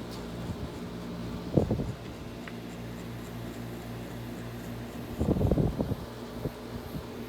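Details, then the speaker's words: Air conditioner on low cool, with the air around 71–72°F outside. A low, steady compressor hum with an even fan whoosh and a few handling knocks. The compressor sounds good and runs healthy. "so we'll go ahead and turn it on low cool that really is a good sounding compressor"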